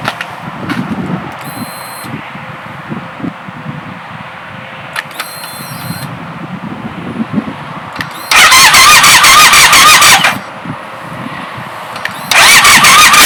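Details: Triumph Scrambler 1200 XE after a day outside at -7 to -14°C, battery needing help, recorded without a dedicated microphone: after a quiet wait, two strong bursts of brisk cranking. Normal cold start.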